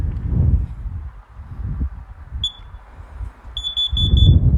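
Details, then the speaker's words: Carbon monoxide detector for generator use, test button held: shrill chirps in groups of four then a pause, repeating over room noise; the carbon monoxide alarm pattern. "one two three four and a pause one two three four and a pause that's carbon monoxide that's your carbon monoxide poisoning uh going off"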